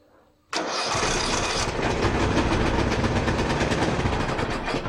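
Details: Neglected Ariens 42-inch riding mower with a 17.5 hp carbureted Briggs & Stratton, first start on very old fuel, brake set, in neutral, throttle at rabbit: cranks briefly, then runs rough, uneven and lumpy, smoking heavily.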